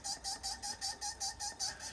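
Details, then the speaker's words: 12-valve P-pump Cummins, freshly built engine after break-in, fuel filter filled and hand primer pumped: about nine quick even squeaks in two seconds from the overflow valve opening, meaning fuel has reached the injection pump. "and basically what that is is the fuel is going through the system and it is going by your overflow valve that squeak is your overflow valve opening up a little bit if you have that you have fuel at the injection pump"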